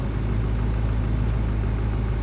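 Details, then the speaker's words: 2007 Land Rover Defender diesel after no-start from immobilizer fault (10AS alarm module, pin fitment issue), unlocked and started: low steady even idle rumble, no knocks or stumbles; engine now running perfectly, normal idle. "and you can see the light is off so when i started to start and you can see it's running perfectly"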